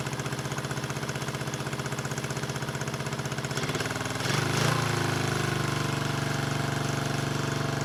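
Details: 1974 Honda CB350F four revived after 20+ years sitting: lumpy idle chuffing about four beats a second, then ragged revving. Only cylinders 2 and 4 fire; the owner suspects fuel rather than ignition but is unsure of his analysis.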